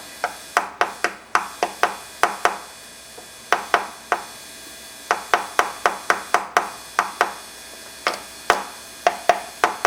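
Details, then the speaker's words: Pioneer SX-780 receiver whose phono stage began failing after service: sharp, uneven pops and crackles in bursts with quiet gaps, possibly triggered by tapping and heating capacitors; suspected leaky electrolytic caps in that area, to be replaced. "I was tapping on this this cap here. Okay, I'm going to I'm going to replace uh I'm going to replace these caps here in this area and then come on back"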